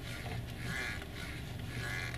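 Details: Honda CR-V steering, noticed after sand and dust from the seaside; two short rubbery squeaks with each slow turn of the wheel over a low hum; owner suspects sand in a rubber part, unconfirmed.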